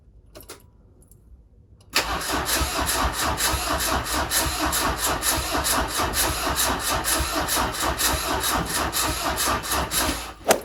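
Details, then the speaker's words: Peugeot 205 diesel after owner-done engine block swap (old camshaft broke), extra diesel added: steady even cranking about eight seconds with no start; owner suspects a weak battery. "faire un deuxième essai j'ai remis un peu un peu plus de gasoil on va essayer trop vite je pense que la batterie c'est de la merde"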